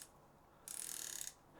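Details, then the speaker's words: SoloKing Acura Pro BFS reel (also sold as Doviello Acura Pro HICC-50; carbon frame, super-light spool): a fast, even burst of crisp, light drag clicks for about half a second as the spool is pulled. Sounds refined and healthy. "so first of all let's listen for that drag clicker so I'll grab onto this pool it feels good it feels very very refined very nice sound I like"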